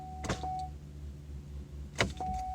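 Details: Pontiac Grand Am with no crank: two single sharp clicks about two seconds apart over a steady chime, no cranking after either; the starter is suspected because it was covered in oil, and no ground-side voltage drop was found.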